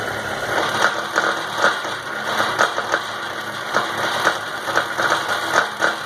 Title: Lathe machine making noise